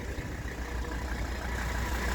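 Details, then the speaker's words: 1984 Mercedes-Benz 300D 5-cylinder turbo diesel, about 121,000 miles, just started from cold: steady, even low diesel clatter at idle with no knocks, misses or hunting; starts cold fine; normal diesel idle. "you hear it run so just started uh please warm now they start up cold just fine"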